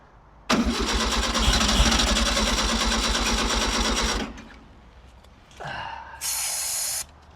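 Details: 1964 VW Beetle, UK right-hand drive with sunroof, unused for almost 20 years, on its cleaned original carburetor with a reused base gasket. The starter spins about three beats a second for four seconds without catching: crank, no start; it started on a later attempt.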